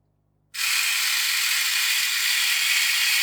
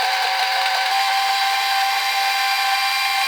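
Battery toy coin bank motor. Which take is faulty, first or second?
second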